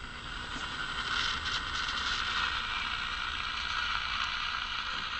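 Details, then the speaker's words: Old Detrola tube radio powered on after tube replacement, dial cords loose: even hiss and crackle with faint steady tone, no station tuned; static at power-on, tuning mechanism suspected faulty. "It's making a little noise. I tune it here a little bit."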